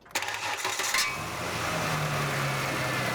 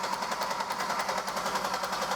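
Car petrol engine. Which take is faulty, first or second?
second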